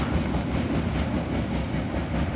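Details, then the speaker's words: Passing freight train, last car a center-beam lumber car: steady rolling rumble with rapid, rhythmic repeating clacks; a wheel thump the trackside observer suspects comes from a major chip in a wheel needing replacement. "It sounds like they need a brand new wheel. Sounds like it's got a major chip on it."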